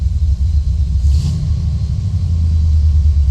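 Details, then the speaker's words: Low, steady idle with no stumble on a C3 Corvette L82 with high-lift cam after adjusting the idle stop solenoid: about 900 rpm with AC compressor on, 1,200 off. Compressor cycles often; owner suspects it is slightly low on refrigerant. "this is performing the way it needs to perform the air conditioner is on and running at 9 00 now it's cycled off it's at 12200 it's on"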